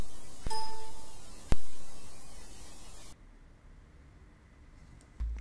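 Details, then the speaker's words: Asus Maximus VI Hero onboard Realtek audio with Jack disabled, recording boosted 45 dB: sharp click before a chime and another after, popping with every sound; running Jack for Windows removes it. "this way file is Jack disabled so this has the pop sound with every sound that I play so and this is what it sounds like"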